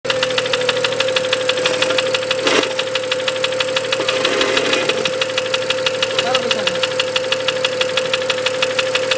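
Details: BMW 335 N54 engine at idle: steady strong hum with a sharp ticking knock about one and a half per second above the engine; source unclear; engine knock.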